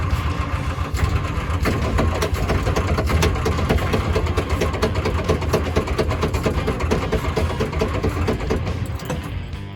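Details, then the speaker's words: 1950 Ford F1 pickup sat for many years, start attempt: rough uneven chuffing and popping about two per second, spitting back through the exhaust; owner suspects a stuck valve, carburetor fuel or points. "Yeah, I'm hearing some spitting back in the exhaust. So it may have a stuck valve or something that's not quite working. But it is trying to start."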